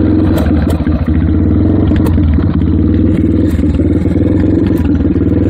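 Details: Yamaha TT-R230 single-cylinder at idle: lopes unevenly with loud clatter and a hissy sucking intake note; cause not identified.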